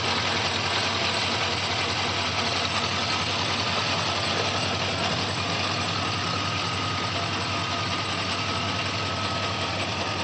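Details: 2004 Chevrolet Silverado 6.0 V8 petrol engine at idle: a light, quick ticking over a steady hum, heard on a walk-around.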